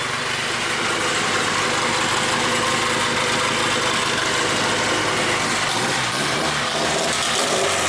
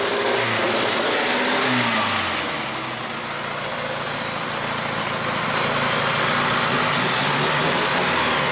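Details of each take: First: Mitsubishi 4G engine in 1G GSX AWD turbo build, after going back to factory-style coil pack with four outputs and fixing spark plug wires: steady, even idle, smooth firing with no misses; all four cylinders firing. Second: 1G GSX AWD big-turbo build revving with old, patched, re-taped coil wiring. The engine stumbles and crackles unevenly as revs climb and fall, misfiring frequently; the wiring is to be redone.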